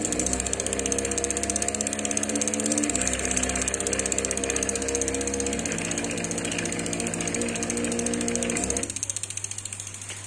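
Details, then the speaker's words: Samebike LO26 e-bike showing error E09, rear hub spun on the stand; a loud rapid ratcheting grind with a buzzing tone and no power. The fault is either the hub motor or the controller, not yet determined. "come si sente la bicicletta è molto rumorosa non ha ovviamente potenza"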